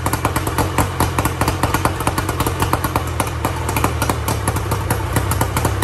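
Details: 1994 Tohatsu M40C two-stroke outboard after water pump replacement, unseizing the seized motor and freeing the locked lower unit, run with water on: crisp, regular popping, several pulses a second, steady without misses over a low drone; healthy.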